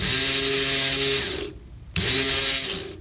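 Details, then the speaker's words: Good fuel pump motor for a 2003 Ford Crown Victoria, bench-tested out of the car: two short bursts of high, steady whine as it spins up freely and winds down cleanly; healthy, unlike the scraping original. "but here is a proper motor right pins you hear that"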